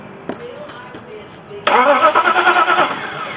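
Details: Vehicle after a missing ground strap was refitted to the transmission to fix the starter: quiet, then a brief quick crank that fires within about a second and settles into an even idle; healthy start.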